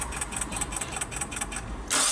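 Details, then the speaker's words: 2001 Mitsubishi Galant 4G94 after an engine swap, new parts already fitted: steady cranking at about five beats a second with no firing; crank-no-start with timing clearly off, and spark leaking from a coil onto the cover. "so we definitely got to go and do some more digging to figure out you know why the timing is off but clear as day man this timing is definitely off right"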